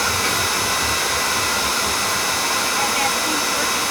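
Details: Home oil boiler burner with the control jumped out, after bleeding the pump to check oil flow and whether the tank filter is dirty: a steady roar of fan and flame with no pulsing, rumble or sputter. It fires cleanly with good flow.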